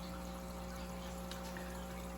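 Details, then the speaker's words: Hang-on-back aquarium filter just cleaned, refilled and set to max: steady low motor hum with a constant splash and trickle of water, no rattles or gurgling. The water is flowing normally. "You'll see that the water is flowing perfectly as it should, right?"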